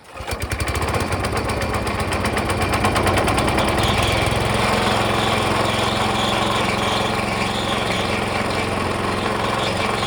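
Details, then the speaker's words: Small engine on vintage gold trommel after starter clutch fix and new rubber seal stopping air leak, pump spun fast; high steady drone but hardly pumping water, faster means less flow; pump running too fast. "I got it spinning pretty fast and it's hardly pumping any water. So I think speed, as far as the oscillation, the faster it goes, the worse it gets."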